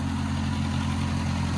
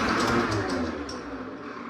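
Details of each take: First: Old Oliver OC3 crawler outdoors warming up after manifold gasket change and carburetor adjustment: steady low even idle, no knocks, misses or rattles, barely any smoke; normal healthy idle. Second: Old Oliver OC3 crawler after spark plug change, previously low oil pressure and ice suspected: slow uneven cranking fades, then catches suddenly and runs loud and ragged, then good oil pressure; hard starting attributed to leaking head gasket and worn rings.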